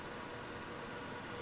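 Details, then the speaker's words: NAS in Silverstone CS382 case, drives and LSI card disconnected: steady even whoosh from CPU fan, case fan and two drive-cage fans running full speed, pretty loud. "all I have is the CPU fan the case fan and then the two fans that came with the drive cage here yeah that's pretty loud"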